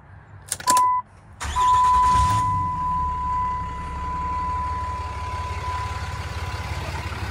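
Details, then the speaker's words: 2007 Dodge Ram 3500 4x4, 6.7 Cummins diesel, 68,000 miles, six-speed automatic: quick catch on the starter over a steady chime, then smooth, quiet, even idle without knocks; normal start and very quiet idle. "very quiet idling Cummins or one ton single wheel short bed"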